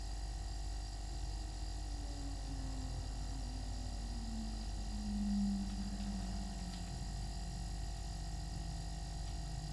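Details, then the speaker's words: New Everglades compact refrigerator with freezer compartment, compressor just started: steady low hum whose pitch sags slightly as it settles, no knocking or rattle; normal compressor running. "So it's just now started up. And now it's gonna be running for a few minutes and then you can hear the weird sound of the shutdown."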